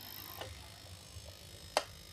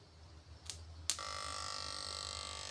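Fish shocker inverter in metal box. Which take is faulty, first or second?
second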